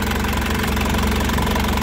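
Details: 2004 Isuzu Panther LS Black Panther diesel, warm after driving: steady, even idle clatter with no irregular knocks, and no blow-by or smoke at the oil filler; the engine sounds healthy.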